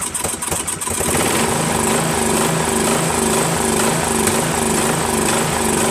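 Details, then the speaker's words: Craftsman 13.5HP mid-engine riding mower replacement engine after fitting new flywheel key: catches after rough pops, idle hunts slowly; runs slightly better but still backfires and surges; owner suspects governor, later resetting it brought no change, carburetor suspected. "runs a little better but it still backfires a little and still surgeon I don't know maybe it's the governor needs to be reset"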